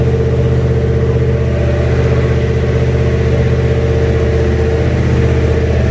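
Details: Junkyard 351W turbo V8 in a 1967 Mustang, first fire-up with headers and exhaust exiting off the fender; steady loud idle with slightly uneven lope about three pulses a second, rough running, needs a tune.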